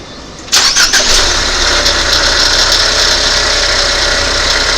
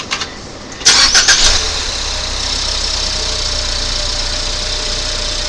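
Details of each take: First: 2019 Ford Fusion 2.0L EcoBoost starting and settling to idle with a dry, uneven metallic rattle from a worn alternator bearing. The alternator is being replaced. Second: 2019 Ford Fusion 2.0L EcoBoost with accessory belt removed: cranks, catches, steady even idle with no rattle, confirming the noise came from the alternator, which is being replaced.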